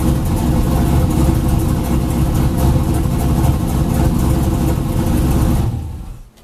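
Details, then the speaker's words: Junkyard 5.3 LS V8 in a turbocharged 2000 Camaro with 1000cc injectors, after correcting injector data, removing fuel and opening the throttle body: starts right up and holds a strong, steady, even idle with no stumble. "starts right up no problem hell yes"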